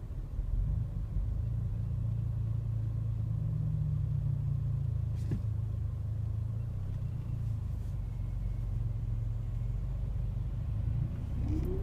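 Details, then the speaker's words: April 2014 Mercedes CLA45 at 16,000 km, 7 days after first Service A: turbo wails with a rising whine under load, then drops back, in sport, manual and comfort modes; car smells, rumbles and struggles stationary; failing turbo, white smoke later. "That's not a normal noise. Sounds like turbo is wailing. Happens in sport mode, manual mode, even comfort mode."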